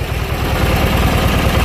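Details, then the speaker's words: Junkyard Briggs & Stratton opposed twin running on one breather despite pushing out oil; brief steady low thrum, even pulse, no skips, both cylinders firing; normal smooth idle. "yeah awesome so got a good running Briggs"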